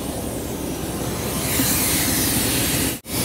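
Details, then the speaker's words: Mack truck idling in brutally cold weather: a loud steady hiss of escaping air swells as the trailer air line gladhand keeps leaking after being reconnected; thin rubber grommets suspected. "oh yeah still leaking if you can hear that Air's coming from right in there"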